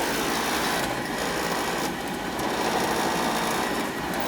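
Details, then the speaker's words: Oil furnace power venter serving a Beckett oil burner, noisy-venter service call; loud rough buzzing rattle with uneven flutter, sounding less bad after reassembly. Power venter is rotten, possibly worn, vibration suspected. Power venter vibration noise. "Doesn't sound as bad now. Might be able to get a little bit more time out of it. This might have been with the vibration. Obviously the power vent is rotten, you know."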